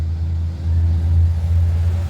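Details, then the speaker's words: Two-door fridge not cooling after a power outage killed the compressor, now running after a larger 150 µF, 150 V capacitor was fitted. A steady even low hum with no clicking off or labouring, the fan on, and the compressor running normally. "Oke, sudah kembali normal lagi. Mudah-mudahan unit ini kembali normal dan awet lagi. Oke, normal. Kipasnya hidup."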